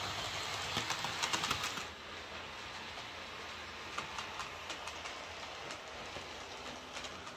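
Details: Hornby J36 model locomotive, previously screeching, after lubricating gears with gear oil mixed with white grease: light rhythmic rail-joint clicking with a soft motor hum, no screech; runs smoothly.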